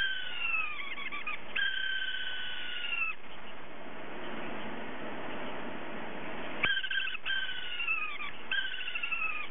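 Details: Hard drive whose spindle motor bearing has gone bad so it can't spin properly; warbling meow-like squeal sliding down in pitch, repeating in bursts as it tries to spin, spindle bearing failure.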